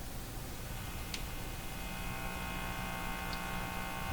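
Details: Hallicrafters TW2000 communications receiver after IF alignment, with a scope on the speaker: a constant low buzzing hum with fuzzy hiss under the output. The scope connection is suspected as the cause, unconfirmed.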